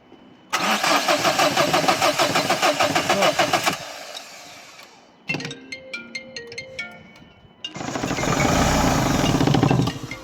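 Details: 2011 Dacia Sandero Stepway, 1.5 dCi diesel, no start one morning. The scan gave a rail pressure sensor fault code, and glow plugs were first suspected. The starter churns steadily at about three turns a second under music, but the engine never fires: cranks, no start.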